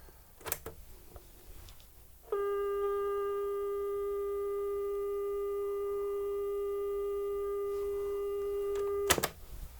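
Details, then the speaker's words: New Panda F-539 twin-deck stereo boombox playing a 400 Hz test tape, measuring 403 Hz on that deck. Clean, steady mid-pitched tone holds about seven seconds without wavering or warbling; tape speed is correct. "perfect 400 Hertz tape out and let's see how accurate or inaccurate this is okay 403 on that side"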